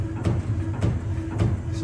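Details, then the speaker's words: Rear BWI adaptive magnetic-ride monotube shock absorber from a Lamborghini Aventador SV/SVJ on an automatic dynamometer test stand: heavy thumps with rattling at the transition from slack to about 600 kg resistance, as gas passed the separator and foamed the oil. "Exactly at the transition point — between almost no resistance and very high resistance — you hear a thump, along with rattling, which feels like looseness while driving."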